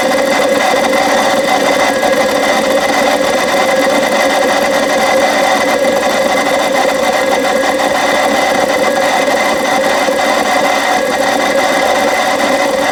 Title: BMW 7 Series E65 Cold Start Grinding Noise N62B44